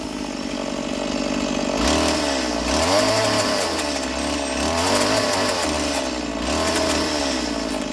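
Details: Roadside-find Stihl MS170 chainsaw, first start with an uncleaned, dirty carburettor: two-stroke buzz revs up and bogs slightly under load in three cuts, recovering cleanly each time; cutting well.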